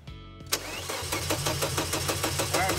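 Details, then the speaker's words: Volvo 850 with a built RN engine swapped from OBD1 LH3.2 to M4.4 with coil packs and variable valve timing, first start after rewiring in winter. The fuel pump hums, then the starter churns without catching. It has fuel and compression, so the suspected cause is no spark or no power at the computer. Crank, no start. "fuel pumps kicking on so it has fuel because i hear the fuel pump running we know it has compression in here so spark or there's just no power at the computer"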